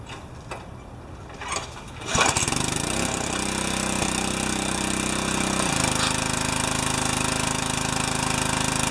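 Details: Pressure washer after unloader replacement for freeze damage: pull-start catches at two seconds, then a steady small-engine drone with pump hiss, note shifting slightly with load; runs healthy.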